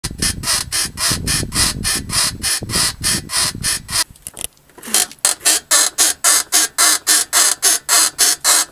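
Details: Mercedes W220 rear creaking: sharp, squeaky creaks repeat steadily about three or four a second, a dry creak from the rear suspension, cause not yet found.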